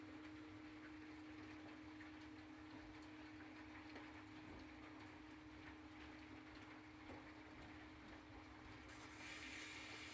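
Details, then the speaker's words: Sump pump after foam added to keep inflow air bubbles from collecting under the pump and the pump briefly switched off to clear an air lock: steady motor hum under rushing water, no surging; pumping normally again. "I'm going to turn the pump off for a minute [Music] that'll let the air bubbles go out now the pump works normally again"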